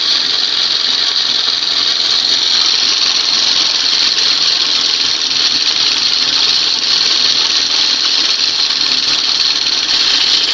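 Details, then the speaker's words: 1971 Johnson 20 HP outboard after swapping its cleaned 25 HP carb for a late-1980s carb, warming up: steady, even buzz at constant pitch without misses or surging. "So this is a case where she runs better, sounds better, much quieter with the smaller carb."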